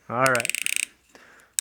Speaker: so that's a good fit if you go to twist it and it sounds like you're crunching snow that's a good fit it's not too tight it's going on and it's seating well